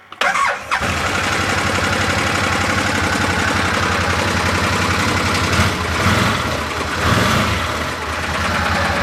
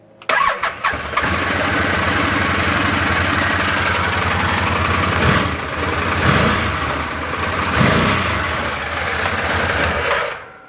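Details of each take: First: Arctic Cat Prowler XTZ UTV after wet clutch replacement, engine running in neutral on blocks; busy rattly run because primary CVT clutch not seated on shaft, damaged spline ends prevented it threading on. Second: Arctic Cat Prowler XTZ UTV, raised on blocks, after wet clutch pack replacement: starts cleanly, revs rise and fall evenly in neutral, primary clutch compresses at higher rpm; engine and clutches normal.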